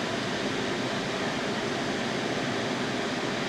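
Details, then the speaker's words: Baja Bug 1776cc air-cooled VW flat-four after engine cleanup, brand new carburetor fitted untouched out of the box: even, steady idle with no misses, knocks or surging; normal idle. "I threw it right on there, and it's absolutely running and idling absolutely perfect. I cannot believe it."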